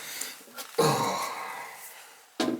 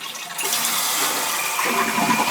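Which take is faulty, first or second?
first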